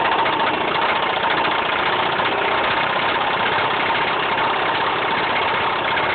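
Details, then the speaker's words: Mazda 6 at idle: rough, even idle with a dull, deep knock about twice a second, keeping time with the engine; epic rod knock, sounds like a worn rod bearing. "This is totally what your car should not sound like."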